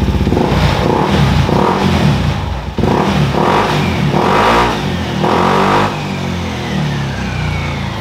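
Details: Honda PCX 160 scooter after engine oil, gear oil, coolant top-up, slider piece replacement for dragging and carbon cleaner: idles smoothly, then clean even throttle blips, no rattle or misfire; healthy running.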